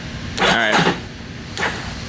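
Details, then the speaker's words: 2005 Yamaha Warrior 350 ATV, electric start only, start attempt: starter groans for half a second, stalls, then gives one feeble turn; weak cranking from a dead battery needing more juice, later jumped with a jump box. "yeah all right need more juice yeah that's there are worse problems to have than a dead battery"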